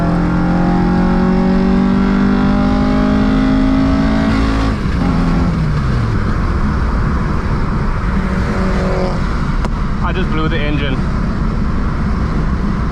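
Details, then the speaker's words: VW Mk2 with 16V engine, rebuilt twice, under a hard full-throttle pull uphill: pulling at high revs, then the note drops suddenly, power gone, rough coasting; catastrophic engine failure, cause unknown. "that's engine gone yep that was the mark two's last hurrah flip oh man that's a a bitter pool to swallow"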